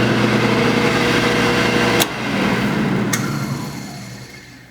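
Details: Restored 1960 Delta Unisaw with a new 2 hp Leeson motor, new belts and new arbor bearings, running with no load: steady, even hum with no rattle or grind, then a click and a gentle wind-down.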